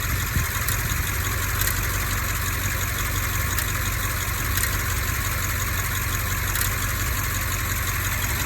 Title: 2010 x6m x5m ticking engine sound misfire